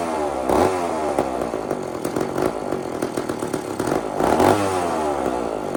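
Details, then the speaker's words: Old chainsaw (possibly 2399 or 2899 B10) on a slight prime: revs keep surging and sagging, stumbling at low speed with no steady idle. Fires but won't keep running; low jet needs more fuel. "Friends, this is too erratic. So, you know that noise, right, friends? You guys know that noise, right? That's just enough gas to to get the thing to fire, but not enough to get it running."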